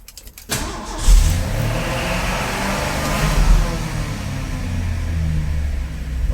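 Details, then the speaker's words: Carbureted Ford F350 started after a new fuel line and 4.5 gallons of fuel were added: fires after a short crank, flares up, then holds a fast, steady idle well above normal; high idle, and the carburetor still needs a rebuild. "that was a high idle. It should keep running no problem."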